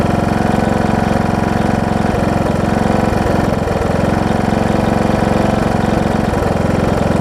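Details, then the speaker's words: John Deere D110 mower engine test-running after a full rebuild with a new head gasket, done after a detached flywheel magnet was found: steady, even low thump at idle, firing smoothly with no misses or knocks. Possible valve-cover oil leak, maybe just burn-off. Normal running. "so i guess that's a good thing right so foreign whoa i said seems to run good oh so good"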